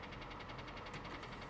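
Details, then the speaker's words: Auction vehicle with 196,000 miles, from New York, idling with max AC on, heard under hood: fast even tapping on top of idle that does not quiet down; engine knock, reverse slow to engage. "takes a little time to kick in but that noise is not that noise is not quieting down at all so so let's shut it down and walk away from this one"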